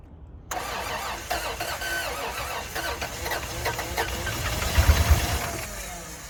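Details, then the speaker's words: 1992 Toyota 4Runner on a jump box: starter churns in uneven bursts with occasional catches that never pick up into an idle. The engine cranks but will not start. "Toyota's trying to start up. That's about as much as you can get out of it. Tries to fire up and just will not do it."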